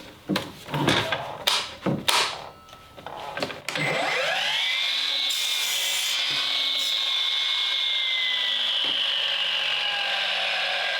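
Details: Milwaukee M18 12-inch miter saw going bad: after knocks, the motor whines high, then slowly sags with a rough gritty edge as the blade takes long to stop; motor or drive wearing out.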